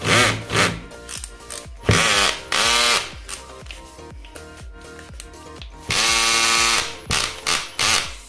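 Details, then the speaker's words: Bosch GSR 120Li cordless drill, six months old, after opening the gearbox, which had been noisy from suspected broken gears or worn grease: short revving whirs rising and falling with the trigger, no grinding or rattle; old noise gone, normal running. "अब एकदम बढ़िया चल रही है और मस्त आवाज़ करेंगे तो आपने देखा यह बढ़िया चल रही है"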